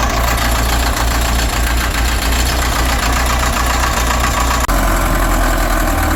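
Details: Cat 950 loader diesel, run after sitting about 15 years, water drained from fuel, old filter with water separator refitted, new 24V batteries. Steady, even low rumble with a regular beat, no knocks or misses; normal diesel idle.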